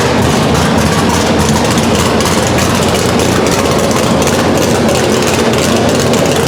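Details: Chevelle V8 on a new Edelbrock Pro-Flo 4 EFI, first start, injection not yet fine-tuned, open headers: loud, deep, continuous rumble firing evenly without misses or stumbles; healthy normal idle.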